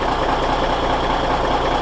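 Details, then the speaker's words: Cummins NHC250 diesel with a newly built pre-oiler, previously primed: instant oil pressure at cold start; steady, evenly spaced diesel clatter at constant idle, no misses or knocks; normal cold idle. "instant oil pressure hot dang I am a happy boy"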